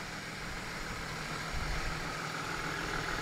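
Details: 1996 SN95 Ford Mustang 3.8 V6, first start after new spark plugs, plug leads and temperature sensor: steady, even idle hum with no stumble or skipped beats; normal, healthy idle.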